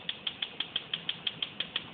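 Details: DCS gas stove model RGS-305SS-L: sharp, high-pitched igniter clicking about six times a second, constant even with burner lit; caused by faulty five-point spark re-igniter module (blue box), fixed by replacing it.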